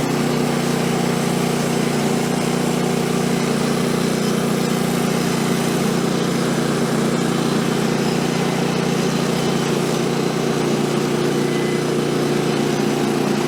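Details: Woodland Mills HM130 Max portable sawmill after tensioner bearing replacement and blade guide work, cutting small silver maple log: small engine holds steady, even drone under load, blade cuts smoothly without knocks or squeals; cutting really good now.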